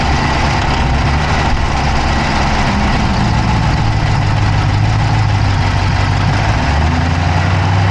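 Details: Dodge Charger Hemi V8 at idle, camera (Insta360 Go3) inside the engine bay on the passenger side: smooth idle with quick light ticking at a constant rate; source of the tick unclear.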